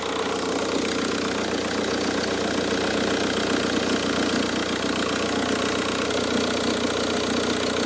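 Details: Car after inspection failure and oil-in-coolant fix, idling cold with slow starting: rough, uneven chattering rattle over the engine, steady with speed; accessory noise of unclear source, with the belt tensioner and alternator under suspicion.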